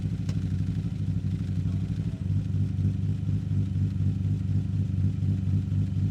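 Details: 1963 Austin Healey 3000 BJ7 Mk II fast road spec straight-six, cold start running full rich, microphone at the tailpipe: steady, slightly lumpy low burble, even pulses, no misses or knocks; healthy warm-up.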